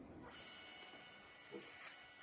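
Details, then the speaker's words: Brother printer after the gear was refitted and reassembled, printing from the tray and ADF: a soft, even feed and fuser hum with light paper clicks. The earlier gear skipping and cracking noise is gone. "Vocês viram barulho sanado."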